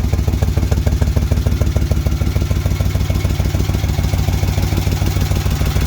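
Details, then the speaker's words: Freshly rebuilt 1971 Moto Guzzi Ambassador 750 V-twin, slightly warm after an oil change, started on enrichers (choke): even steady low thump about three pulses a second, no knocks or misses; healthy smooth idle. "It is a little warm. I was running it after the oil change, but it fires right up with the enrichers on, or the choke."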